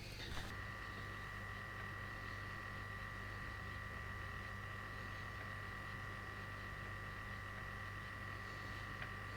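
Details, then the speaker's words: Sinclair ZX Spectrum +2 unused for ages, loading a Chess tape; faint steady high-pitched tone with no dropouts or warble, now loading reliably; normal tape loading tones. "oh flipping love that noise okay cool that's better that's what we want to see still looks Dreadful but it seems to be reliably loading stuff now"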